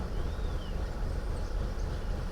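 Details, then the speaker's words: 2012 Volkswagen CC 2.0 with rough idle, stalling and many cam/crank codes: low, lumpy, stumbling idle as cam timing drifts over 50° from target; variable valve timing suspected. "now it's really rough so it stayed good for a while but we're right back to where we were super rough and we're over 50° difference on our Target versus actual"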